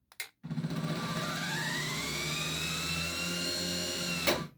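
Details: Truma SE R caravan mover bought as spares or repair (reportedly wouldn't power onto wheels, fault codes), bench test before repair: motor whine climbs slowly in pitch then holds a steady hum; slow start but runs fine.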